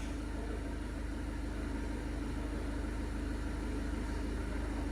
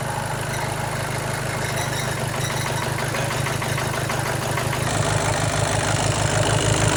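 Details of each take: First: Seat Leon 1.6 TDI after a further repair to fix shaking from an injector correction that had read +180: low, even diesel clatter with no misses or shakes; a smooth, healthy idle. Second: Seat Leon 1.6 TDI after timing belt replacement, following belt failure: long cranking before firing, then a heavy, lumpy pulse about three per second shaking the engine; it runs rough, later traced to an overfuelling injector.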